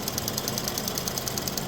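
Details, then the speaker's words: 2017 Ford Fusion 1.5L EcoBoost after cracked flexplate replacement: even idle with light, quick regular injector ticking and no heavy knock; previous noise gone, engine sounds healthy. "everything bolted up about to go test drive it no more noise let's go"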